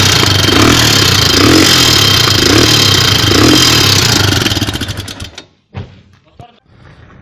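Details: Honda XR250R engine, died after about 10 km of riding, Motul oil found black: rough running with a heavy, regular knock about four times a second until shutdown, pointing to a failed roller bearing.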